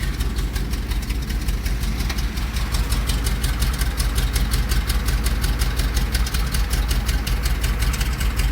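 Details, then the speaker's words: 1973 Chevy C60 fuel truck, 366 gas V8, running after its fouled, wet, carboned spark plugs were cleaned to cure a cold no-start: fairly even lope with deep rumble, firing on all cylinders; normal running. "Awesome. Cleaning the spark plugs did the trick."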